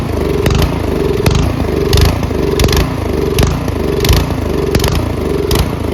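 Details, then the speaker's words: Troy-Bilt Storm 2410 snowblower, MTD Powermore engine with dirty carburetor: runs fine on half choke, then at full run rises and falls about every second and a half; surging from lean mixture, too little fuel. "now we'll put it to run half okay that runs fine starts to Surge a little because there's not enough gas too much air now you take it to full run"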